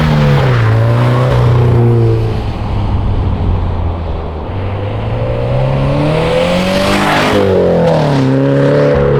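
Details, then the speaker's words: 2013 Subaru BRZ with GReddy Evo GT exhaust after a leak was fixed with a 2.5 to 3 inch adapter gasket and donut gasket: deep, low exhaust note rising and falling cleanly with revs, no rattle or ticking; normal. "That sounds so good. I'm so happy with how it came out."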